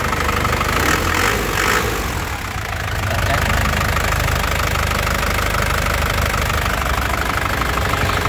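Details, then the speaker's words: 2014 Isuzu Panther LS Turbo diesel, low mileage, idling after start: steady, even, crisp diesel clatter with no shaking, misses, knocks or surging, no smoke; healthy engine. "Jadi, dari getarannya stabil, tidak goyang, tidak pincang ya. Suaranya juga renyah khas penter ya. Jadi mobilnya memang sehat."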